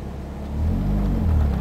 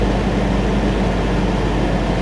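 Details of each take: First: Ford ZX2 petrol engine at normal steady idle with defrost/AC off, a steady low rumble with no surge; the idle goes erratic when defrost is on, suspected bad AC compressor. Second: Ford ZX2 idling with defrost/AC on; steady loud idle drone that sags and hunts unevenly instead of holding speed, normal when off; pulling the interior AC fuse cured it, owner assumes a bad AC compressor.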